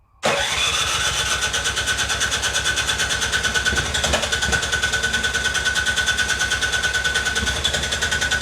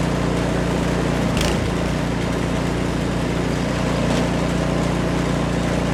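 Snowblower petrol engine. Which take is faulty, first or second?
first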